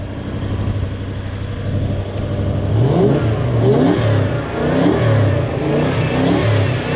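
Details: Toyota Hilux with 1UZ-FE V8, brought in lacking power with poor idle and running on four cylinders; after swapping the coils over, revs rise and fall cleanly with more twang and less flat note, no stumble; sounds much better.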